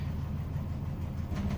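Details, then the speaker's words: LG Diamond Star fully automatic washing machine, after inlet valve repair, spin cycle with six minutes left: drum at high speed and still rising, steady low rumble and smooth even hum, no knocks or scraping; normal spin. "और जो drum है यह drum की speed अभी पहले से कई ज्यादा मात्रा में बढ़ ग मतलब टोटल अभी स्पीड पर आ चुका है य ड्रम की स्पीड और बढ़ेगी"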